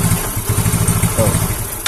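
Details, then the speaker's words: Yamaha Mio J scooter, hard starting: it idles low and unevenly, stumbles on throttle and stalls as fuel pressure drops (normal is 40). Cause: failed fuel pump IC, damaged by a faulty spark plug cap. "nah ini sudah naik nah perhatikan ini kondisi langsam ya tuh turun turun lalu kalau semakin turun dia akan mati motor e sulit untuk digas tuh tersendat dan mati"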